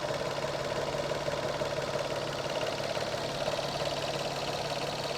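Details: Engine clacking noise at idle: a light, fairly even clack about three per second over the engine hum, source not yet pinned down.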